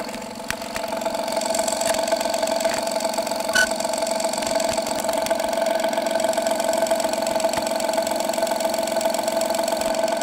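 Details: 2016 Honda Pilot III J30A9 V6 at cold idle, mic on hanger probe; regular tick about three a second over steady hum, fades after 2-3 minutes warm, returns after 3-4 hours off; failed timing belt tensioner.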